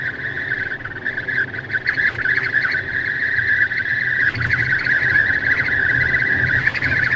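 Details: Tesla at 64–65 mph in the cabin: a steady, slightly wavering whistle around 1.7 kHz over road rumble, air leaking past the passenger window. Intermittent for about 3 months, later fixed by service.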